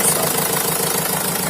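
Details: Opel Vivaro / Renault Trafic 1.9 diesel after alternator repair (rear bearing had failed): even idle with normal light injector clatter and steady rhythm, no crackle or rattle at the front of the engine; normal idle.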